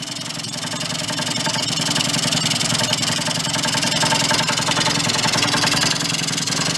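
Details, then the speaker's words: 2004 Yamaha Vino 50cc two-stroke scooter just revived after years in a barn: buzzy idle that climbs and wavers instead of settling. The air cleaner is off and the air-fuel mixture screw is still to be adjusted, giving an unsteady idle. "stay running we don't have the air cleaner on either so that's going to kind of throw it off a little"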